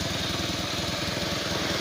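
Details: Bajaj CT100 single that stalled once hot, after new spark plug, ignition coil and CDI, cleaned carb and added fuel filter: quick evenly spaced putts at steady idle, no dropouts; normal idle.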